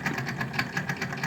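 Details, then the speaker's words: Daewoo refrigerator evaporator fan motor, cleaned a year ago, noisy again; owner suspects vibration loosened the fan blades; fridge still cooling: rapid rhythmic ticking about eight to nine beats a second over low hum; noisy fan motor. "hoy les traigo información acerca de un refrigerador que le está sonando el motor ok"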